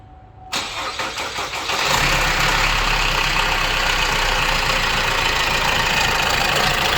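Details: Opel Insignia at 184,000 km, heard before disassembly: petrol engine cranks, catches, then idles with a harsh metallic timing chain rattle and slightly uneven beat.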